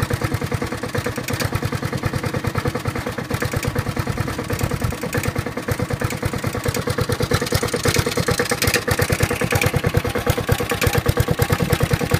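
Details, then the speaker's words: Honda HRT216 mower, stored outside since end of February with no fuel, just refuelled and cold-started (owner first thought a valve was stuck): steady single-cylinder putter, even beat, idle screw fully down, lowest and smoothest idle it has run. "wow I have the idle on the ID on down the nothing so it's the lowest I've ever got"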